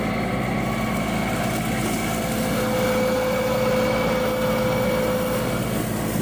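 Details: Yanmar 424 diesel tractor, about one year old, previously bogging down; after BG 245 fuel system cleaner it holds a smooth, even run with no stumbling or bogging.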